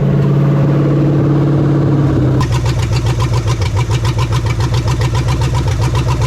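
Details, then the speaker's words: 1975 Chevy Nova 350 four-speed, sitting since 1987, first runs off the tank, choke still unsorted, alternator not working: lumpy, choppy pulsing idle after revving start; engine misfire, cause unconfirmed. "have a bit of a misfire about good"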